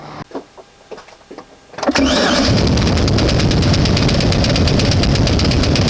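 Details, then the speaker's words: One-ton truck engine with transmission fluid added to the oil to try cleaning it out: a quick crank, then a loud regular bang about three to four per second over a rough, missing idle. The engine knock at idle persists; the cause is unconfirmed. "so it is uh still banging but uh we're just going to let it run and see what happens"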